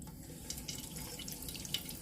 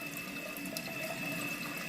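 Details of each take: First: Toilet tank refilling after replacing the Fluidmaster fill valve and flapper: steady hiss of water rushing in, building slightly and running smooth with no chatter as the float rises to shut off; normal refill. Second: Toilet tank refilling after Fluidmaster fill valve and flapper replacement: steady hiss of water running that doesn't shut off at the fill line even after lowering the float; water draining away through a leaking flapper keeps the valve running.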